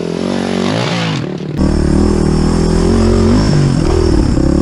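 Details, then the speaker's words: Suzuki DR350SE abandoned dirt bike after valves were cleaned: the single cylinder catches and settles into a steady, even idle with clean throttle blips, no knocks or misses. Runs healthy. "now these valves are clean let's turn it on and see what happens that looks a lot better"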